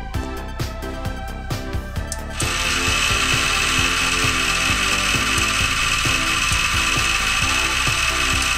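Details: PC case exhaust fan beside an RX Vega GPU, at power-on: loud, rough grinding hiss with a steady whistle; worn fan bearing, and this fan spins down faster than the others.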